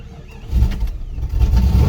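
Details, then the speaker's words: Jeep with old Chrysler 318 / 5.2 V8, 400,000 miles, not started in a while: quick low cranking catches within half a second into steady rumbling V8 run, no smoke; battery had enough to start. "Okay. Cranked up. No smoke, no smoke. This is old Chrysler 318 to 5.2."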